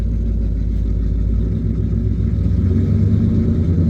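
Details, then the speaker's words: Cammed Ford F150 V8 idling with AC cycling: deep, lumpy idle sits near 1,000 rpm, revs back up on its own when AC is switched off, then holds higher; no chop; owner blames a bad tune, cause not confirmed. "Turn the AC off. It's reving back up. Turn the AC on. Yeah. No chop, nothing. Bad tune all the way."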